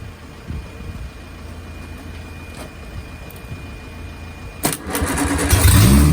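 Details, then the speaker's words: Bench first start of an Innocenti 1275 A-series Mini engine, unrun for nearly 20 years, with exhaust manifold, inlet manifold and carb fitted: quiet cranking, fires after about four seconds and settles into a steady, deep, even run with oil pressure present. "Wow, the engine actually ran, and it ran for a bit of time as well."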